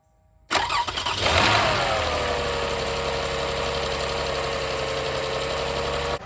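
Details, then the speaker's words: 2006 Toyota Highlander 3.3L after water pump replacement (was losing coolant, head gasket feared): quick crank catches at once, brief rev flare, then smooth steady idle without knocks or ticks; runs and fires well, normal start. "Sounds pretty good. Suck down a little water. All right, let's go looking for leaks. Sounds good, she's running good, she's firing good."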